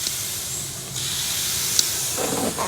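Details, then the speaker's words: 2019-up Chevrolet Silverado / GMC Sierra helper air bag install, inflating from zero psi: sharp steady hiss of escaping air; leak found at the T-fitting where the bumper fill line enters, fixed by pushing the line in fully. "Uh-oh. It's leaking somewhere. I got a leak. It's coming right. It's bleeding right back off."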